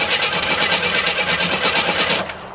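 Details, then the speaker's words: Abandoned 1987 Oldsmobile Cutlass fed from an auxiliary gas can: catches and runs fast and rattly for a couple of seconds, then dies on fuel left in the carburetor; owner suspects bad fuel pump, no gas delivered. "Well, I'm almost thinking that this fuel pump isn't any good because it should have fired up by now."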